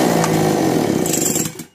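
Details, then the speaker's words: Chainsaw (model stated as "speed 652") with start-then-stop problem, after spark plug change: fires and buzzes briefly at rough, uneven high idle then dies within two seconds; carburetor fault, screw adjustment being tried. "इस पर रोक लगाने के बाद मशीनें एक बार start हुआ और बंद हो गया तो चलिए फिर से हम तो इनको सेट करते हैं"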